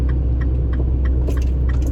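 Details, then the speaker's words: 2007 Mini Cooper R56 while driving: light, quick knocks over heavy road rumble from the rear suspension; owner suspects worn rear sway bar bushings. "but i'm hearing a little bit of a knocking um within the suspension and i'm thinking it's the stabilizer bar bushings"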